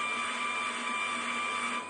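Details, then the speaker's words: Brushless DC motor (FIT0441 with encoder) at 12 V driving homemade oil-filled worm-drive rudder servo gearbox, under load (60 to 180 mA): thin steady high whine, gearbox complaining; table amplifying sound; robustness doubted. "but you can hear that as soon as you put a load on it we can rather hear the gear box complaining that seems to me to be the case even a moderate load so i'm a bit worried"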